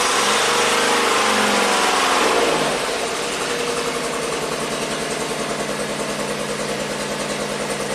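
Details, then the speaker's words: 1990 Buick Regal GS V6 with severe low power and low manifold vacuum, fuse reinstalled: revs fall to lumpy shaking idle with uneven beat; misfire, suspected fouled plugs on a rear cylinder. "so we still have a problem we're better on the map but not quite and now it's actually [Music] shaking see how it's shaking"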